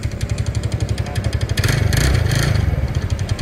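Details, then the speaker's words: TVS Ntorq 125 scooter, nearly new: at idle a sharp tak-tak tick, about four per second; the owner suspects the chain, the self bearing or a loose magnet. "यह देखिए सा रहा है टक टक टक टक टक टक करके कैसे साउंड हो रहा है ये सुन सकते हो ये सुनिए कैसे साउंड हो रहा है"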